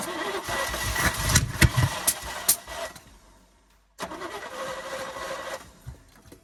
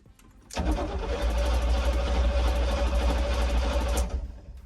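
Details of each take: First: 1972 Chevy K10 4x4, 350 V8, single-pumper carburettor, sat over 20 years, good fuel pressure: catches, dies, then runs unevenly and won't idle, acting like over-fuelling; dirty carburettor needle and seat suspected; over-fuelling. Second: 1972 Chevy K10 4x4 with a 350, sat over 20 years, cranked in neutral: brisk, even cranking for about three and a half seconds with a quick steady rhythm and no dragging; healthy cranking speed.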